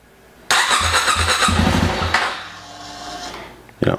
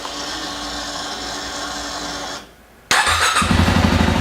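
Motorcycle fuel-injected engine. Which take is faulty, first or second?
first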